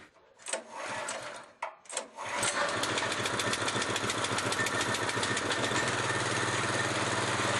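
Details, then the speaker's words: Iron Angel GT06 mid-class cultivator, freshly assembled and fuelled (A-92+ unleaded, 10W40 engine oil), choke closed for cold start: a couple of pulls, then it catches and settles into an even, steady putter of about three to four beats per second, a healthy idle. "Вот культиватор собран и готов к работе."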